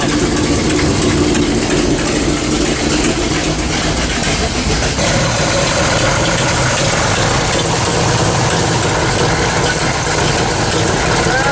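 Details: 1979 AMC AMX, AMC 304 V8 with long tube headers, no choke, before repair: sharp quick ticking in time with idle over loud rumbling exhaust; blown header gasket with loose bolts leaking.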